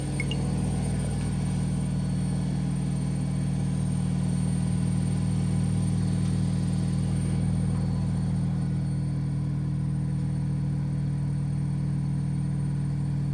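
Loud steady deep droning rumble with a regular pulse about four times a second through the spin; cause of the noise unclear.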